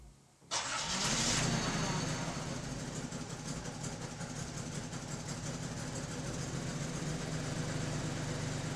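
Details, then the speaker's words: 1981 Datsun 280ZX 2+2 with bad idle and power loss after lowering, first start after new electric fuel pump and fuel filter: brief crank, catches cleanly and settles into a steady even smooth idle; starts and runs fine. "oh man i think she started off pretty good not gonna lie so i'm gonna go ahead and let it warm for a bit"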